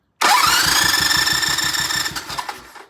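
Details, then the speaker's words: Vintage British motorcycle twin, compression test with fuse pulled and carb/throttle wide open, cranking about ten strokes: steady even cranking about four strokes a second with rising gauge hiss, reading a good 160; normal compression. "Wow. That's a good 160. Wow, that's a lot of compression."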